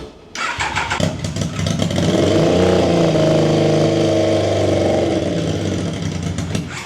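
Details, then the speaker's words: Triumph Daytona 955i motorcycle project, no exhaust pipe, cold start: catches with a ragged, uneven beat, holds briefly, then dies; owner suspects missing coolant sensor makes it run too lean. "I'm going to assume that it's killing itself because it's got a the coolant sensor is not in."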